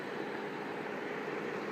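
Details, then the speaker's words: Chrysler Pacifica after alternator replacement (had high-pitch whine, high idle, surging and hard shifts): even, steady idle hum with no whine or hunting; idling normally. "good as new no more crazy High idling jerking any problems like that"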